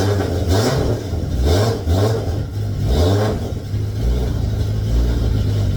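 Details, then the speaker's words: Toyota 2JZ VVTi JZ swap's very first start after ECU calibration and self-set timing (a trigger setup issue noted): engine catches and runs on its own, rising and falling with quick throttle blips, then holds a steady even beat. "Yes, what a fucking relief. I cannot believe it. Well, I can. It should run."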